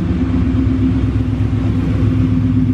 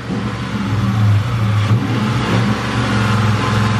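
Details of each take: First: 1999 Mustang GT with Mark VIII/Cobra swap, just started and checked at the drag strip before 1/4-mile runs: steady, even low V8 idle with a smooth regular pulse and no knocks or ticks; healthy normal idle. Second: 1999 Mustang GT with Mark VIII/Cobra engine swap at drag strip: deep V8 rumble breaking up hard, uneven stumbling beat with drops; misfire throwing P0320 code, injector suspected, temps fine.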